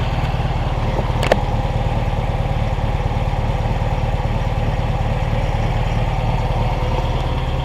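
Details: 1972 VW Super Beetle, back on the road after about 10 years sitting: steady, even chuffing idle with a smooth beat and no knocks or misses; air-cooled flat-four idling healthily.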